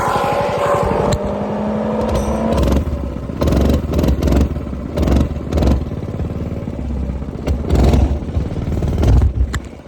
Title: LED headlight install complete. Weird noise from chain though. Coleman B200R minibike